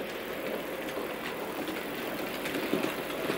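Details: Bachmann 31-175 Jubilee Class model loco "Hong Kong", an older model with pickups only on the driving wheels, runs through an insulfrog three-way point and radius-two curved point: light steady whirr, soft wheel rumble, no stutter or clicking; running smoothly.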